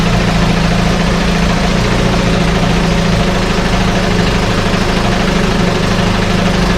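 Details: 1968 Evinrude Fastwin outboard, bought and only set in a test tank with no repairs, out of gear with no load: loud, even two-stroke burble with steady firing and no misses or surging; no cold-start cough, Sea Foam in the fuel cleaning it out. Normal idle.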